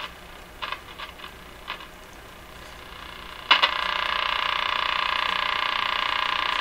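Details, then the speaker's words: Crosley 43FB farm radio after incorrectly sized capacitors were replaced: faint sporadic clicks, then a hiss with a fast, even tick of about three per second. It is heard only when the AVC raises gain between stations; interference is suspected, not confirmed. "That noise could be interference. Like ticking. You can see that you can only hear the ticking when the AVC has turned up the radio in between stations, or other noise signals."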